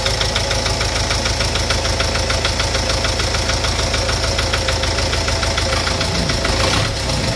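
Steady idle with a rapid, slightly uneven knock, roughly three per second, over the engine drone; a knock of unknown origin.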